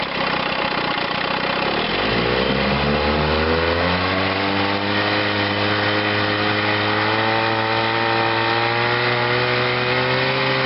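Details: Chrysler outboard motor with ignition misfire, run on a test wheel in gear under power while testing its starter-generator (12.93 V at rest, about 14.5 V charging); note climbs then holds smooth, even pitch with no stumbles or misses; normal running under load.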